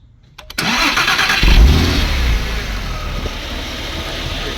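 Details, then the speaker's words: Porsche 996 Carrera with a brand-new starter motor, during a voltage drop test: brief brisk crank that catches almost at once, flares, then settles to a smooth idle; quick start versus the old lazy, slow starter. "so you can see how quick the start a motor starts compared to before it's very lazy and very slow"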